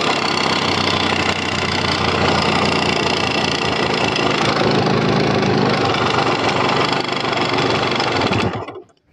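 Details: Yamaha RX100 two-stroke motorcycle after sitting over 10 years: ragged, uneven buzz for about eight seconds then dies abruptly; starts with great difficulty and stalls. Owner says engine must be opened for a proper fix.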